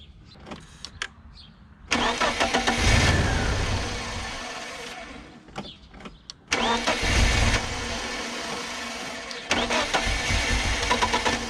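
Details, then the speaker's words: BMW E36 Compact with M43 engine, after its stuck, corroded idle control valve (which idled at about 1200 rpm) was replaced with a cheap AliExpress ICV and a rubber gasket. It starts promptly and settles to a steady idle of about 800 rpm without hunting. "So, we got 800 RPMs. And I think I think that AliExpress ICV is working."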